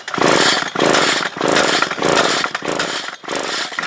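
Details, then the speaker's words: Stihl KM56RC weed eater, no-start with good spark and fuel-wet plug, compression tester fitted: repeated rasping pull-cord strokes about every 0.6 s, no firing; very little or no compression, heavy carbon on piston found later. "okay we got uh no compression or very little so very little"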